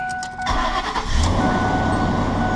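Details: 2004 Ford Expedition 4.6L after fuel filter replacement, key cycled on three times to prime before cranking: short crank, catches within half a second, settles into steady even idle; normal engine start.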